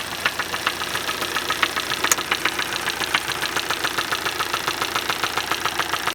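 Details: Hyundai i40 2.0 petrol automatic at 60,000 km. A steady, sharp knock at about 3.5 per second sits over a smooth idle. The cause of this strange engine knock needs further checking.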